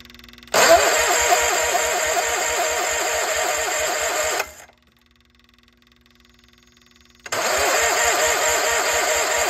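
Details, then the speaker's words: Case 1816C skid steer sat 10+ years in a barn, first start attempts: starter cranks at an even steady beat about four seconds, pauses, cranks again; engine tries to fire but struggles to catch; battery charger added to maintain battery while cranking. "but hey we've made progress to try to fire a couple times so I'm gonna grab the battery charger put it on there just to maintain the battery while cranking"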